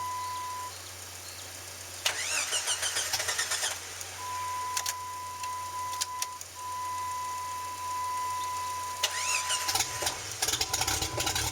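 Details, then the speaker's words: Jeep started after sitting three months, battery had died and it had been flooded with water: repeated long starter cranking with a chime between attempts, never catches; owner thinks he is flooding it; extended cranking without starting. "Good enough. Okay, I think I'm flooding it."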